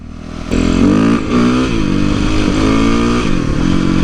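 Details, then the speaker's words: 2008 Yamaha YZ450F after oil, coolant, chain, exhaust clamp, carburetor and accelerator pump work and correcting badly off valve clearances: crisp revs climb and drop cleanly with no popping; engine pulls freely and sounds healthy. "No more popping at all. Oh yeah, it's running good. It revs up so much better than before."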